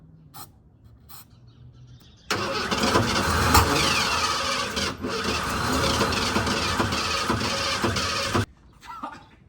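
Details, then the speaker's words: 1988 Ford F150 XLT Lariat 2WD being revived after a new fuel tank and fresh fuel lines: steady cranking for about six seconds, almost catching but never running. A new line is dripping fuel, and fuel pressure is still to be checked. "Close. So damn close."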